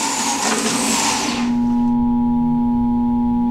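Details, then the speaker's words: Juicer motor stalls while juicing: the grinding cuts out and leaves a steady electrical hum or buzz. The likely cause is excessive force or feeding produce too fast, or fiber built up inside an uncleaned cover. "while juicing the motor stops and produces a humming or buzzing"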